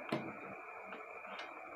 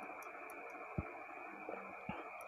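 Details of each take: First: 220 V relay being plugged in: a single sharp click as it energizes, then only quiet room hiss with no buzz or chatter; relay pulls in normally. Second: Burnt contacts in a JQX15F-4 220V AC relay rated 30A, long in use; two sharp clicks over a steady hum as the coil pulls in, but the burnt copper leaves a gap so the current doesn't connect.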